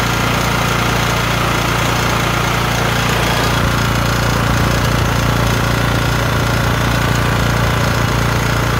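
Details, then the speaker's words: LT1040 lawn tractor after valve cover gasket repair (original gasket resealed with silicone) that cured white smoke from the front; steady, even low idle thump with no stumbling or misses, air compressor running nearby — normal idle. "well we did it uh we fixed the um problem let me shut off this air compressor we fixed the problem with the original gasket and some silicone"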